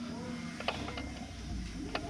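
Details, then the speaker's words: Input shaft of a normal OEM R32 transmission, rocked by hand for comparison: only faint soft clicks, tight shaft, unlike the 34 GT-R gearbox whose suspected input shaft bearing makes loud tapping. "Almost no sound like this, but the one removed from 34 GT-R , making loud tapping noise."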